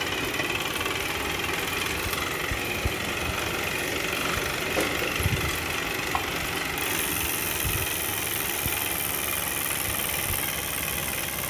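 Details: JetBlack Victory bike trainer mid-ride under load after repeated sprint efforts: steady whir with dull, uneven knocks beneath it, seemingly a common fault in a spring production batch.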